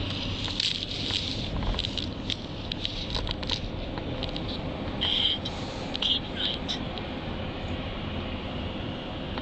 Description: Rattle from 2009 Volvo XC 90 from behind passenger side dashboard. Happens intermittently. Can be stopped by pressing down on top of dashboard